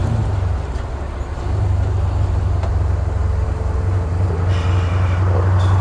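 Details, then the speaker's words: 1964 Ford F100 with new headers and exhaust, 4-barrel carburetor, bed full of tires, pulling away from a stoplight: deep even rumble building smoothly under load, no misses or knocks; normal strong acceleration. "Strong, feels good. Like I said, I got a bed full of tires right now, but it's tame when you want it to be, not when you don't."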